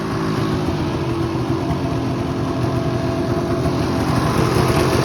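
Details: Ski-Doo Summit snowmobile, two-stroke P-TEC engine, running with a ragged, uneven beat and firing pulses dropping out irregularly; engine misfire, cause unknown to owner.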